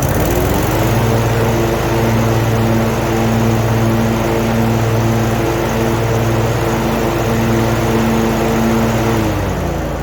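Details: Zero turn mower, over 10 years old, test run after replacing the broken belt, guards off: engine fires within a second and holds a steady even drone about eight seconds, no slipping squeal, then shuts off.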